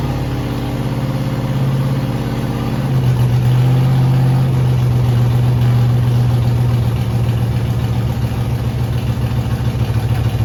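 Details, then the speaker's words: Freshly rebuilt 5.3 LS V8 with a Truck Norris cam and BTR beehive springs, on its first fire-up with an MSD ignition box on a preset. Uneven, lumpy beat with stumbling pulses stays ragged as revs rise. Misfire from incorrect ignition timing. "Guys, so you guys saw the first fire up. Uh, it went pretty good. Uh, the timing wasn't right at first."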